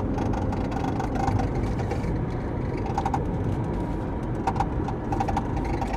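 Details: Ford Mustang 2013 driving on road: short bursts of light clicking rattle from the dashboard come and go over steady road rumble; something loose in the dash, cause unknown.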